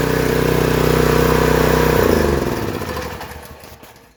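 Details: Homelite Pro 3100 PSI pressure washer that would not start from suspected bad gas, now running after the gas was drained and linkage lubed, choke on first detent. Steady, even drone for about two seconds, then winds down smoothly; no misfire.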